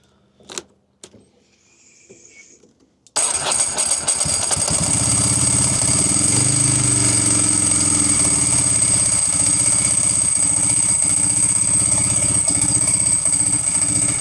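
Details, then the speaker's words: Ducati 748 with stumble under 2,000 rpm, not present when first running; after swapping crank position sensor and relays, engine idles with recurring stumble, beat dropping out every second or so; low-speed misfire, cause still unknown. "It's stumbling. Okay. Well, that was not it. Still stumbling."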